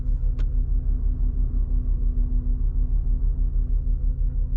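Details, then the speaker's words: BMW E46 after air-conditioning delete: electric radiator cooling fan drones nonstop at idle and never cycles off; cause suspected, not confirmed. "but now we've got a problem where the fan staying on constantly which you could probably hear it"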